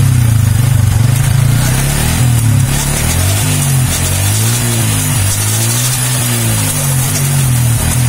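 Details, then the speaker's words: Yamaha Vixion motorcycle after tightening the rear swingarm (arm) to cure a clicking on sudden shifts: engine pulls cleanly through hard revs and shifts with no clunk from the rear; the clicking is gone. "sudah aman ya guys ya jadi sudah tidak bunyi cetek-cek kembali"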